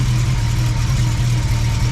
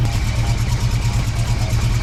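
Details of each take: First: BMW E30 six-cylinder after head rebuild with new stainless valves and rocker shafts; header had been knocking against something when the engine rocked. Now a steady, even idle burble with no knocking or rattle: normal idle. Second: BMW E30 M-Tech engine, freshly reassembled, lightly revved: uneven low knocking about three times a second as the engine rocks on its mounts and the vibrating exhaust header strikes the chassis; an engine mount spacer is considered.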